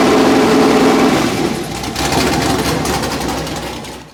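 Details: Engine on a run stand before installation in a Factory Five Mark 4 Roadster: a loud, raspy V8 holds a steady, even beat, then fades off as it shuts down. Healthy normal running.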